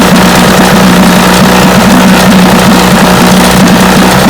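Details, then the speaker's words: Vintage Johnson outboard after replacing pitted new breaker points that caused a high-speed miss, running with an even steady buzz, no skips, firing cleanly on all cylinders; normal running. "i believe that was the problem that's more steady running easy yep that was the trouble points"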